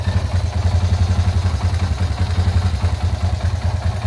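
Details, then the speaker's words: 2004 Honda Tiger, 270cc with a 70 mm stroke, complaint of a noisy engine: a loose, uneven clatter over the single-cylinder idle thump, far too loud; worn crankshaft bearings. "awalnya saya hanya diminta untuk memperbaiki suara mesinnya yang berisik tetapi ternyata Koni kondisi mesin diluar dugaan"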